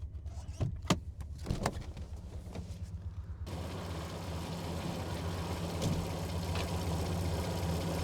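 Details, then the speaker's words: Alfa Romeo GTV 3.0 Busso V6 with an aftermarket air induction kit, microphone under the bonnet while driving: deep engine drone swelling under acceleration with loud intake roar over the motor. "But I'm just going to drop the microphone now under the bonnet carefully and see if I can get any of that air intake noise directly into that microphone whilst we're driving along."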